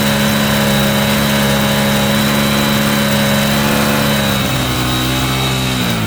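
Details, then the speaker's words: Cheap Yamaha motorbike after carburettor and fuel-line cleaning, idling on its own fuel without easy start: steady hum whose pitch sags and wavers slightly; owner suspects dirty air filter or idle adjustment needed. "that is a success as you can hear behind me it is still idling over nicely without me without easy start it is running on its own fuel"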